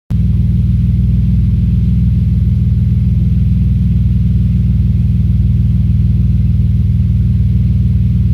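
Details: Audi S4 B5 engine misfire: deep steady rumble with an uneven, stumbling pulse about three times a second under the exhaust note.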